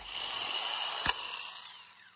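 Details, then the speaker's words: Starter bench-tested in a vise, key bypassed with a screwdriver; high smooth whir with a single click as the gear kicks out, then even spin-down. Starter passed the bench test; normal spin. "i want to make sure this cranks i'm bypassing the key with the screwdriver and when i do that take a look at the other end you can actually see the gear kicking out and the motor in"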